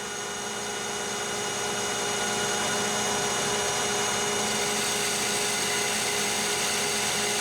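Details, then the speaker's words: Annealed 4140 CrMo steel, longitudinal turning at 1120 rpm with low feed and 0.025 depth: steady hissing cut over spindle hum with faint ringing, smoother than at low rpm but light chatter and a still rough finish. "and you can hear and see it's better already um you can hardly feel the grooves now with your fingernail but it's it's still not great by any stretch"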